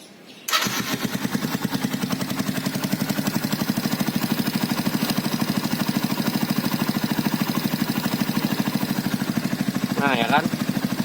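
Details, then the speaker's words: 2012 Yamaha Byson carburetted, after full service with 10W-40 oil, oil filter and cam chain replaced; starts and settles into an even, steady idle, smoother and quieter than before with no rattle: normal start and idle. "itu lebih halus dari sebelumnya Endang mesin itu tidak mudah karena lebih mantap lah"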